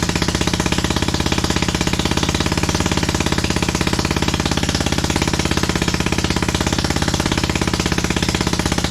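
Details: 27hp engine fitted to a Lesco Viper 54" zero-turn mower: lumpy, uneven thumping at idle with every other firing pulse missing, really running on only one cylinder.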